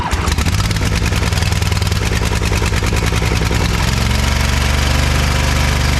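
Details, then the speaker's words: Ariens-made Ever Ride Hornet zero-turn mower, 25 hp Briggs & Stratton twin, sat outside about a year, first start: catches into a lumpy beat with dropped firing pulses; misfire, one spark plug gap nearly closed with carbon. "I'd say that one wasn't firing too good the Gap is about closed up with carbon so that would be part of our issue"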